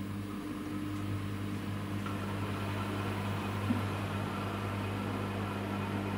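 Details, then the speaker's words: Samsung WW10N645RBW washing machine after adjusting the legs for stability: smooth steady motor hum through the spin, no shaking, thumping or rocking; rated 73 dB spinning; balanced, normal spin. "this time there isn't any shipping as you see here there is spinning going on but I don't hear any shaking"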